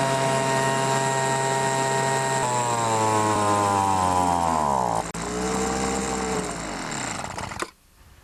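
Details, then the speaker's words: Poulan Pro BVM 200 25cc two-stroke leaf blower, fuel tank emptied for winter storage, run until dry with choke applied: high buzz sags and surges in pitch twice, then cuts out. Fuel starvation stall. "actually when it goes to die I just put the choke on and it sucks out sucks in the remaining gas that's left in the carburetor or the fuel line"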